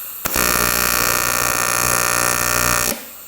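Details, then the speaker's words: AC TIG welding aluminium in square wave at 120 A on 110 V with 4943 filler; steady coarse buzz from the arc, lower and rougher than usual, sounding like about 60 Hz AC frequency (usually 120–240 used), puddles fine. "Not sure how you adjust the frequency on this guy. If you can, the frequency's a little lower. You can hear it there. It sounds like it's about 60 hertz, but I usually run a 120 to 240 with a Miller, but we'll see what happens here."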